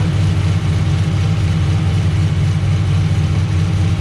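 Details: VE with a big V8 said to make 525 rwhp, just fired up and still not road-driveable: a deep, heavy rumble with a lumpy, loose rhythm and no knocks; it idles steadily.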